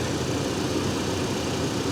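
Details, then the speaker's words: 2007 GMC Canyon with a Vortec 2500 engine and 119,000 miles, at an auction lot: an even, steady idle with no knocks, misses or squeals over a busy background; the engine sounds healthy. "This engine sounds great. Here it is. You got your standard Vortec 2500."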